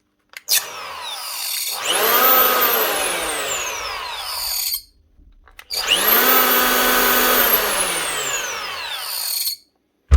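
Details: Old Festool EHL 65E planer from 2004, running rough: two spin-ups with a rough, gravelly growl under the rising whine and on each coast-down. Worn motor bearings needing replacement.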